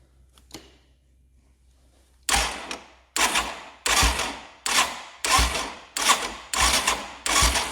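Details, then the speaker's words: 1989 Yamaha Moto4 200 ATV after new timing chain, cranking; repeated strokes about one a second, each with a sharp exhaust puff; compression back, normal cranking. "Actually hear exhaust this time. That's a good sign."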